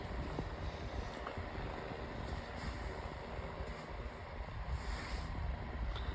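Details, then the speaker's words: 9-inch Airtek metal high-velocity fan on low setting; steady even low rumble of air, no ticking, rubbing or wobble: normal running on low speed. "It has a really nice sound to it on low. I'd say this is about as fast as my Mainstays fan on medium."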